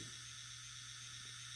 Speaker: this engine does not have a sound decoder that is the molder making sorted circuit making some kind of weird noise that's not what's supposed to sound like and that can't that really can't be good for the engine any